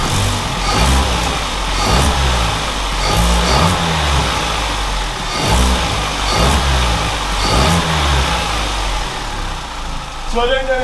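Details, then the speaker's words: Vauxhall Corsa SE four-cylinder track car, warm, after fitting a green single-cone induction filter. Repeated blips rise and fall cleanly with a throaty induction roar: crisp, even revving with nothing amiss. The owner is convinced it sounds better. "the microphone pick that up but I am convinced that sounds better there's more of a each time now it sounds sick"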